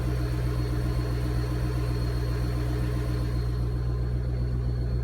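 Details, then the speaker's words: Mustang, first start-up on the final tune revision, coolant warming: deep, steady burbling idle, no misses or knocks; rpm, AFR and fuel trims good, no fueling or detonation issue; normal idle. "rpms are good going to get some gas in the morning get some fresh stuff topped off coolant afr is good downstream is good cool temperature is rising which is good fuel trims are good looking pretty good okay exhaust sounds good i don't hear any fueling issue or detonation issue"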